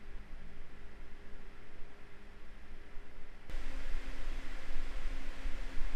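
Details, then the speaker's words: MSI RTX 3080 Suprim X 12GB graphics card under gaming load in silent mode, not gaming mode: soft steady airy fan hiss with faint low hum, no coil whine or rattle; normal fan noise under load. "ama ben sessizliği önemseyen biri olarak ile de Gaming modunu açma gereği hissetmedim şimdi canlı canlı fan sesini ve bobin sırasını dinleyelim"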